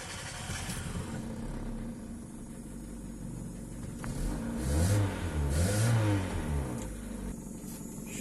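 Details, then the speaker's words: 2005 Kia Cerato with hard starting and a lean fuel code: long, uneven cranking before the engine catches and revs; fuel pressure reads 28 psi instead of about 50 and drops to 20 on throttle, pressure bleeding off when the pump relay cuts. "شوفوا 28 بي اس اي، هو المفروض يقعد 50 لكن قاعد 28 بي اس اي."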